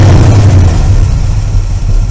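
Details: Engine after a Pertronix Ignitor electronic ignition module was fitted inside the stock distributor, then distributor and carburetor tuned with a vacuum gauge: deep rumble drops smoothly from a rev to a steady low idle without hesitation, properly tuned and healthy.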